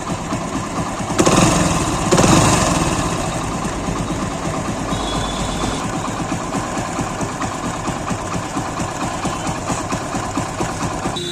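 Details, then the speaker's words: Single-cylinder idle after complete refit with the defective roller and its nut replaced; the timing-chain-like whine heard after a recent chain job is gone, leaving a steady even putter with no clatter. The worn, marked roller was the cause. "गाड़ी को start करते हैं आवाज सुनिए देखिए आवाज नहीं आ रही किन किना टाइप की आ रही थी वर्स नहीं आ रही है वह"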